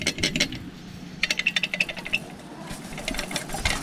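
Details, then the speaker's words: Yamaha Sniper 155R with Dyno Pro exhaust, pipe removed and shaken by hand: bursts of light metallic jingling; the rattle is suspected to come from a loose nut on the pipe that wobbles when shaken. "Pero habang inaalog ko ang pipe, napansin ko ang nut na ito na umaalog din. Kaya suspetsa ko ito lang siguro ang pinanggagalingan ng kalansing."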